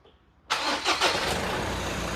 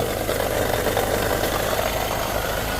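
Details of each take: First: Mazda BT-50 Pro manual gearbox after replacing bearings broken by wrong gear oil and refilling with 75W-85: engine cranks, catches, and settles to a smooth, even idle with the earlier clutch-dependent knocking gone. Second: Mazda BT50 Pro manual gearbox idling: dull, busy knocking that stops when the clutch is pressed and returns on release, from a broken countershaft support bearing, blamed on wrong gear oil; fixed by replacing the bearing and refilling 75W-85.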